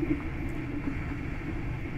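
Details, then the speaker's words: Creality CR-10S Pro 3D printer after quiet fan upgrade: part cooling fan turning on gives steady droning mid-pitched hum until it stops, louder than the rest of the printer; noisy, owner considers running it at 80%. "wasn't the power supply fan that was the cooling fan turning on so as you can see that cooling fan is louder than this entire printer after ever placed all the fans"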